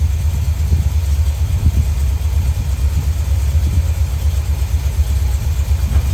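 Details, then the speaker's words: 1972 Corvette C3 small-block V8 after rebuild, idling after flooded carburetor and intake were dried out and base timing and dwell set: steady, even low rumble with a smooth regular beat, no misses or knocks; healthy idle. "and then once we got it running, he set the base timing and the dwell and all that kind of stuff. So it's purring like a kitten now."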